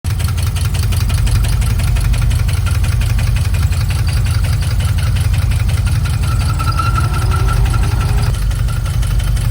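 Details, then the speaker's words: 6 L V8 from a VE idling with a heavy, rapid top-end knock; teardown shows a loose rocker with the valve still open, from a bent valve or dropped valve seat. "so starting the tear down on this 6 L out of the ve that had that really bad top end knock um so what we can see here we have a a loose rocker but what's interesting is that the valves open so that can only be two things which is a bent valve or what we're finding more and more is a dropped valve seat"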